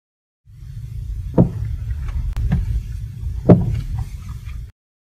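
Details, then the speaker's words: Sharp, hollow knocks over low road rumble, coming from inside a worn stabilizer link joint, caused by free play in the joint. "Bunyi ini datang terus dari dalam sambungan pautan pesttabil."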